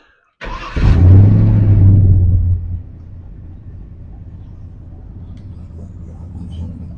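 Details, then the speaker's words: Old Ford F-150 after retiming and fitting a gear-reduction starter, cold, in windy conditions: quick crank, catches with a loud rev, settles to a steady low rumbling idle; normal cold start, previously wouldn't restart once warm. "there she is she'll clean up she's cold just started it anyways"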